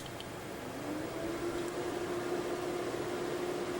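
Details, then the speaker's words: HP Vectra 486/66U PC converted to EISA Adaptec SCSI controller, temporary SCSI drive added beside IDE drive: soft whir rising into steady mid-pitched hum within a second; both hard drives spin up. "both drives spin up i think the other one happens is having problems that sounds great"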